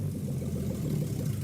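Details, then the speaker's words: Mercedes V12 swapped into a Lamborghini replica, first start after conversion needing four ECUs: deep, smooth, even engine drone with low steady rumble, no knocks or misses, popping and shooting flames; runs cleanly. "are you hearing this now it sounds like an actual lambo [Music] it's shooting flames and popping dude this is so awesome you actually did it"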